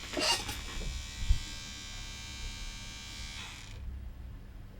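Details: Disc player switched on, shows loading: thin whirring buzz for about three seconds then cuts out with no disc spin-up; loading mechanism jammed, later found caused by a wrapped strand.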